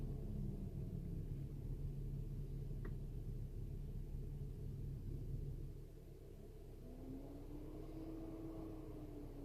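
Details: BMW X5 E70 with DTC 377A: low engine rumble, faint steady hum, then a soft rising, wavering tone from the failing electric coolant pump. The radiator fan raced high when the heater was on; replacing the coolant pump and thermostat fixed it. Antifreeze tested fine.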